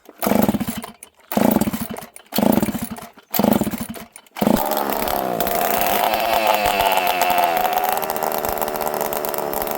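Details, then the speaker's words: Ported chainsaw (21101) running with no muffler and a busted kill switch: four sharp pull-start bursts, then it catches and runs loud, raw and even. It runs well. "It runs good, friends. Real good."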